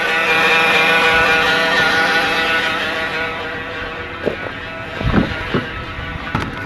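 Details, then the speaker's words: Cold 2011 Dodge Caravan (62TE transmission) first thing in the morning with thick fluid: steady multi-tone whine at idle in park that goes away in gear, pointing to the transmission front pump rather than power steering; lack of maintenance suspected. "see you put it in gear the noise go away so that is transmission noise"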